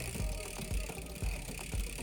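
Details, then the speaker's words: Bicycle rear derailleur, clutch switched off, while indexing is set: quiet regular ticking chain chatter about twice a second while pedalling; cable tension slightly too high, chain trying to climb to the next sprocket. "it's gone quiet so we know there's too much tension if I just very very slightly push that now the noise in creases so I know it's trying to go up there"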